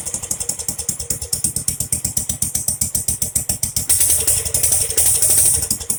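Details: Jacobsen Chief 800 lawn tractor pulled from the weeds after long storage, first start on an old battery with brake cleaner sprayed into the carburetor: sharp uneven pops about three a second, then rougher and faster, running only briefly on the spray.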